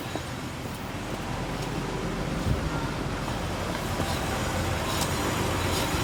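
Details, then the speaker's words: Nissan Gloria Y32 on a lift, rear raised, in neutral: the rear wheel spins freely with an even whirr and light rotor hiss and no clicking. The click only appears driving forward under load, and the owner suspects the axle. "ale zobaczmy, tak, w ogóle nie klika, wszystko,"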